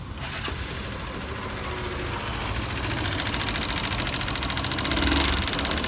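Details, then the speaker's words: Honda Bros 150 motorcycle at idle, valves long unadjusted: quick even ticking about three or four per second at the rockers; excessive valve clearance wore the rocker; fix is valve adjustment. "Então, galera, o seguinte aqui, o cliente passou muito tempo, né, sem regular as válvulas dela, e a válvula folgou demais e comeu"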